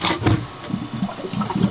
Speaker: Yeah, I think that noise is all the air bubbles getting worked through the system, and then yeah, as the air bubbles get worked out, that noise goes away.